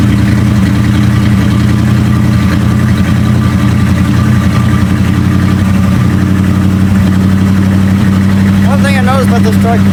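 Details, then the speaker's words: 1976 Dodge W200 tow truck V8, started after sitting a couple of weeks, fresh gas, not yet warmed up: deep idle with an uneven, lumpy beat and occasional dropped pulses; cylinders 7 and 8 misfiring intermittently, cause unknown, owner hopes not mechanical. "seven and eight kind of don't like to be there all the time I gotta figure out why hopefully it's not mechanical"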